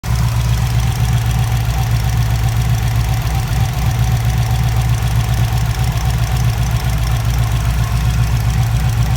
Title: Wanbro 400 l/h in Subaru WRX many pulsation engine error misfire and TIC rail